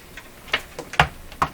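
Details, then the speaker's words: Canadian Westinghouse Model 512 tube radio during RF alignment with small loop antenna in a basement full of tools: sharp irregular ticks about two per second over quiet hiss; ticking interference persists, source not traced. "very good I still hear the ticking sound just can't know that"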